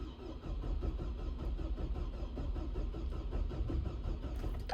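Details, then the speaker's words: 2007 Hummer H3 with a crank-no-start complaint (water possibly entered through an open sunroof): even, rhythmic starter cranking for about five seconds with no firing, then a chime. Scan data shows RPM, mass airflow and injector pulse during cranking; cause not yet found. "so you can see while we're cranking the engine RPM goes up the mass air flow goes up the injector pulse width turns on so it looks like this vehicle is trying to start uh it has everything it needs it's just not able to"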